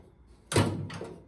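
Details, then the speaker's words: 1970 Ford Mustang body shell creaking while pulled back onto new rear frame rails on a jig: two sharp metallic pops and a short groan as the shell shifts into place under pressure; normal straightening creak. "I know you guys heard that one. She likes to make some creaking noises when you bring it back together."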